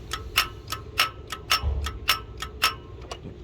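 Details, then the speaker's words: 2007 Buick Lucerne with linear EGR valve, engine off, solenoid driven by a jump pack with driver wires jumped: sharp crisp clicks about twice a second, normal EGR solenoid actuation. "and yeah you can actually hear the solenoid um actuating as such"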